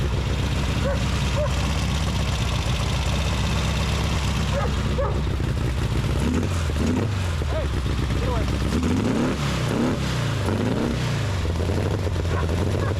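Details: 1835cc air-cooled VW Beetle rally engine with a Fuel link ECU, after oil-leak repair with new O-rings. Fires straight away and settles into a steady, even idle with a couple of clean throttle blips; healthy, no leaks.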